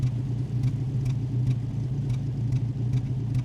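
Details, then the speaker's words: Rover P4 on a test drive after tuning, with spark plugs cleaned but not replaced: low, smooth, quiet engine rumble with a light sharp pop about twice a second. The popping persists whatever is adjusted, and its cause is unknown. "I'm not sure why it's doing that. No matter what I do, doesn't make any difference. But it's uh it's super quiet, super smooth. It's just got that slight P me."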